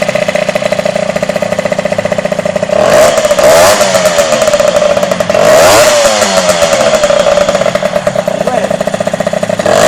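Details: Derbi DRD 03 two-stroke, first start after a full engine restoration: a crisp buzz settles into an even idle with a couple of short throttle blips; runs clean and steady, sounds healthy.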